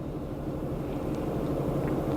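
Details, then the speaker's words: 2004 Acura TL 3.2 V6 idling rough with misfire in cold rain; blinking check engine light and P0300, traced by coil swap to a bad ignition coil. "oh the car either yeah it is good now a while ago it was so rough"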